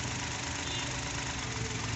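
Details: Suzuki Every wagon petrol engine at idle with codes P0300/P0302. It idles unevenly with a shaky low beat and vibration as cylinders one and two misfire, traced to loose injector wiring.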